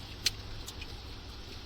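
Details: 1985 Dodge Diplomat 318 V8 with lean burn, in about minus 20 cold, after disconnecting a wire: faint steady low rumble, even beat, one stray click; running best since bought.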